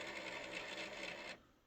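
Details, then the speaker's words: Old PS3 that boots to the menu then shuts down during play: with the system on, a harsh, rasping mechanical whir for about a second then cutting out, the disc drive jammed and noisy though nothing is in it. "there's something in the disk drive oh that's what was making all the noise the disk drives jammed well there's nothing in it"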